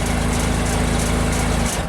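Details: JLG 260MRT scissor lift engine starts and runs steadily for under two seconds, then falters and stalls; the crank sensor, screwed into the bell housing with adjustable gap, was pulled and judged toast.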